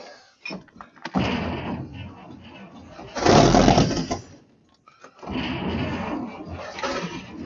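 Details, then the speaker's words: 1953 Chevy truck being revived, choke open and carburetor primed with gas. Two long starter bursts turn the engine over at an even pace, but it never fires. The carburetor is suspected of not getting fuel. "okay carburetor may not be flowing any fuel so let me make sure the throttle's closed"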